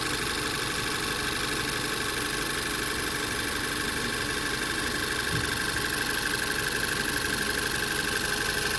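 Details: 2017 Volkswagen Tiguan with P0300 random misfire, after coil, spark plug and fuel injector replacement: engine settles into a smooth, even idle with a faint steady whine and no stumble or miss.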